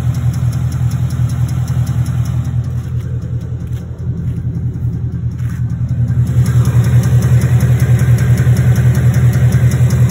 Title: 2016 Mustang GT Ticking sound